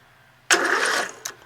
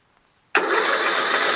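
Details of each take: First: Rebuilt tractor with newly installed engine, starter and rewired harness, no fuel and magneto not connected; a short burst of brisk, even starter cranking without grinding or clicking, starter spins the engine strongly. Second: Rebuilt tractor with newly installed engine, magneto, carburetor and fuel system, on choke with starting fluid: a rough burst of firing about a second and a half, then dies; catches briefly but won't keep running.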